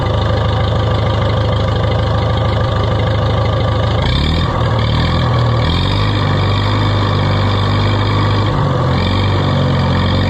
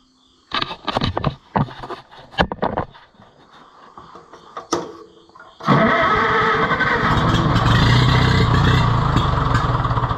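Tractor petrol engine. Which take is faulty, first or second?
second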